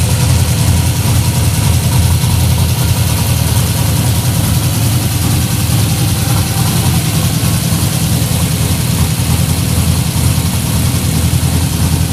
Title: LS454 Rough Idle